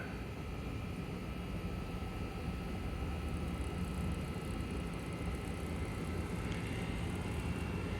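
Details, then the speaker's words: Trane S9V2 gas furnace showing an E7 fault code on a no-cooling call. The blower ramps up into a steady, even, airy rumble with no scraping or wobble; normal blower operation. "anytime now there it comes here comes the blower pick it on up pick it on"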